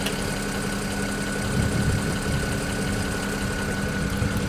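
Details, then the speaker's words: BMW 335i N54 at idle after installing index 12 injectors: a steady idle with fast, even, light ticking. Only a slight improvement; the direct injectors are simply noisy, with the sound insulation cut for an oil catch can adding to it. This is normal injector tick. "as you can hear there's a little bit of an improvement but the injectors are just so damn noisy on this car"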